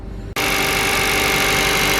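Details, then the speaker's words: KIA Ceed 2014 1.6 G4FG manual, 156,000 km, cold idle; light, fast metallic tapping over even hum, owner hears it in cabin despite timing chain replaced 15,000 km ago; piston slap. "холодный присутствует легкая перекладка"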